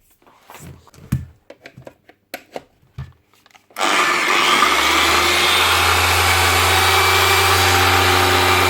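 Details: DAS6 6-inch rotary polisher after replacing failed rotary bearings with two NSK 6001 bearings and fitting a new pad: a few handling clicks, then it spins up to a smooth, steady whir with no rumble or grinding, normal running.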